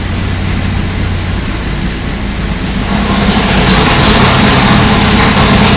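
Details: Old V8 on dyno after valve job, seals and guides, started before a loaded sweep: loud, even rumble with steady beat swelling slightly as revs rise; smooth, healthy running.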